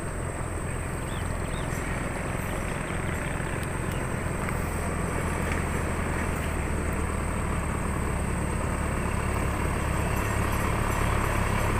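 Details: Isuzu 4HL1 diesel with hard starting and stalling, after troubleshooting; relief valve mentioned: steady low diesel clatter at idle, even pulses, no stumble or dying; normal diesel idle, pulling well now.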